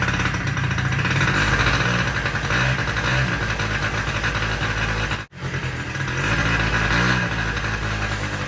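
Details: Polaris Sportsman 90 ATV with cleaned aftermarket carburetor: single-cylinder engine putters at a loose, slightly uneven idle, briefly cutting out once before picking back up; runs normally.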